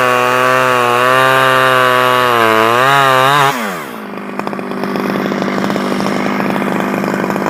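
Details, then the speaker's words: Stihl 011AV two-stroke chainsaw after a carburetor rebuild and a spark plug coil wire fix; screams at steady high revs, then falls back to a busy, ticking idle. Runs and holds throttle; owner guesses crank seals may be needed. "I think that I was having some issues with the um the coil wire here going to the spark plug I took it off and took it apart and put it back on and it seems to run better so"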